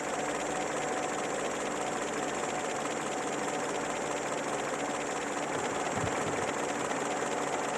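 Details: Peugeot 205 TU engine under acceleration: busy, even engine roar with a faint irregular rattle running through it; owner reports noise and shaking on acceleration, source not pinned down.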